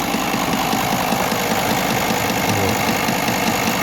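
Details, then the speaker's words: V10 TDI diesel at idle: uneven idle with a light knock under twice a second over the clatter after a spark plug (sic) was dropped into the engine valley under the alternator; owner suspects it is being struck by alternator's rotating parts; no new fault codes, power normal. "вот такой вот звук появился причем мотор работает нормально динамика там мощность ничего нигде нет там никаких изменений вообще нет"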